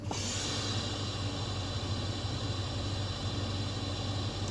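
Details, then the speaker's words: 2003 Toyota Tundra 4.7L 4x4, engine running, ABS light on: pressing the brake draws a steady airy swish over the idle hum that stops on release; intake vacuum leaking through a cracked power brake booster diaphragm. "so whenever you hear that swishing sound inside the cabin you're gonna automatically know that it's the power brake booster"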